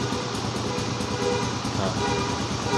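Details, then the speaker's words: Used Suzuki Satria FU motorcycle, standard engine, started for a pre-purchase check: small single-cylinder engine ticking over steadily at idle with an even beat and no knocks or rattles; this is how a healthy stock engine should sound. "Ya Saman dengarkan suaranya ya untuk suara mesin standar itu kayak gini"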